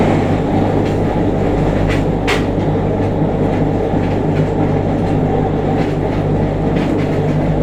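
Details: JR Kyushu 303 series set K01, car 4 MoHa 303-1, recorded directly above the Hakata-end bogie on a rapid between Shimoyamato and Hatae: low steady growl under the rail clatter, rising with motor speed, with heavy vibration. Abnormal traction motor growl.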